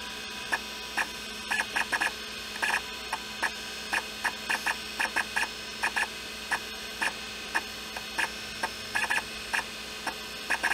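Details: IBM PS/2 Model 30 hard drive with a very scratched platter, after a homemade head recalibration fix. Irregular clusters of crisp ticks over a faint steady hum; the head is not noisy. Normal head seek clicks.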